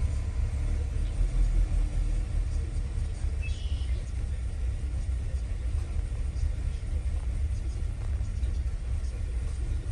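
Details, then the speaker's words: 2016 Chevy Cruze 1.4L Ecotec turbo, run low on oil, after replacing exhaust camshaft sensor: deep idle rumble that wanders and shakes; still rough, now only code P0017 (was P0014 and P0017), deeper fault remains. "still acting up let's read some codes after replacing the camshaft sensor on the exhaust side the only code was popping up now was the p0017"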